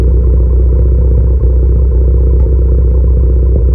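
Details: Modified engine (PRL SRI race MAF, PRL intercooler, 27Won downpipe/frontpipe, Greddy Supreme exhaust, TSP tune) with P0300, P0301 and P0304 codes: a deep, loud run with irregular pops and thumps through the exhaust; possibly misfires, unconfirmed.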